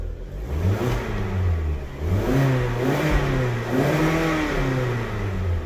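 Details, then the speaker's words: 2011 Kia Sportage 2.4 4x4 with many stored codes: under throttle the engine surges up and sags repeatedly, never holding revs, then stalls and won't restart; catalytic-converter smell noted, engine seems to lack power. "si acelera todo o ya se apagó ahora sí ya no quiere me llegó una aromita como a catalítico como que no tiene fuerza"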